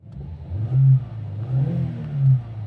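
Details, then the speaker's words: 2000 Mitsubishi Pajero Mini H58A, 4A30 660cc twin-cam turbo, manual, after engine, transmission, differential and transfer case oil changes, driving: three clean rev rises with smooth gear changes, no knocks; sounds healthy. "Engine sounds good. Goes into every gear smoothly."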